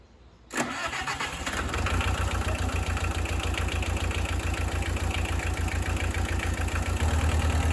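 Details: Bobcat 743 skid steer diesel started after a fuel filter replacement and priming: cranks briefly, catches cleanly and settles into a steady, even idle with a smooth beat and no knocks or misses.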